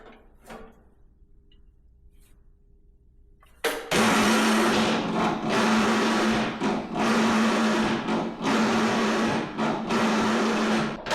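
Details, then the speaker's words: MTD Yard Machines riding mower, 13.5 hp Tecumseh, after adjusting choke to full travel: starter whines and labours with slow even dip about once a second, engine sluggish, never catches, burning plastic smell; owner concludes starter too slow, failing. "It's gotta be that starter. Yeah, that starter's not fast enough to turn the engine."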